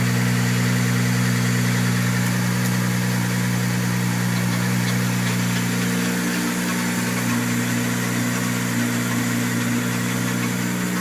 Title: rattling noise